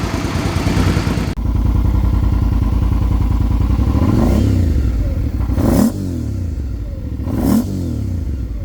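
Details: 2005 Suzuki V-Strom 650 with a low-mileage replacement engine (swapped in for rod knock) and a Scorpion muffler fitted: a deep twin thump at idle, then crisp blips that rise and drop back cleanly with no misfire or rattle. Runs healthy.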